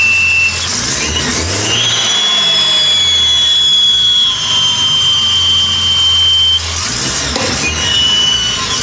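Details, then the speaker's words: Idle air control port blocked with a plate whistles loudly at idle on a factory-EFI Datsun 280z with ProtunerZ intake manifold; loud steady high-pitched whistle over idle like air sucking past a leak; suspected missing O-ring in the bore, to be fitted. "apparently the uh idle air control Port whistles really bad because it's supposed to have an eyle a control and not a blockoff plate"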